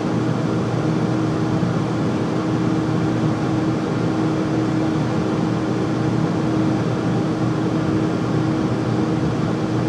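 Steady loud roar with a constant hum and no rhythm or change over ten seconds; the furnace is running noisily, cause unknown.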